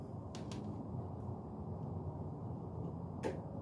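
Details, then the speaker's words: Jeep Wrangler 3.8 EVAP purge solenoid bench-tested with a motorcycle battery for P0456/P0457: sharp single clicks as the valve opens with power and closes when removed, showing the solenoid works properly. "so every time I apply power this thing opens as soon as I take power off it closes"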